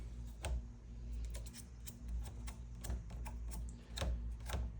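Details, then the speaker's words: Lectric XPeak eBike riding with the kickstand up: only light, irregular ticks over a low rumble and no kickstand rattle after a cord piece was zip-tied on as a damper; completely silent. "And when it's down, completely silent."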